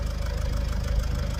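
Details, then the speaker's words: Vauxhall Vivaro / Opel 2.0 turbo diesel van at idle, owner suspects turbo failure: quick, uneven metallic rattle over the low idle thrum, worse than before; engine rattle at idle, cause not confirmed. "why is it rattling like that"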